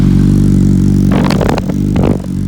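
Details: Warm 2005 Yamaha R1 inline-four, engine rebuilt a month earlier, on its third oil change with rings seated, full titanium TI Force exhaust: an even, steady idle hum with brief handling clatter partway through, sounding healthy.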